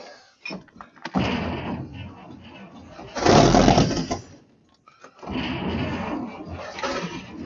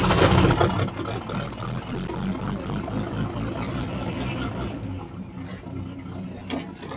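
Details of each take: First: 1953 Chevy truck being revived, choke open and carburetor primed with gas. Two long starter bursts turn the engine over at an even pace, but it never fires. The carburetor is suspected of not getting fuel. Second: 1953 Chevrolet 3600 3/4-ton pickup first start after fuel pump replacement, choke in use: rough catch and rising burst settle into a low, even idle rumble; sounds pretty good, very minimal tapping noise.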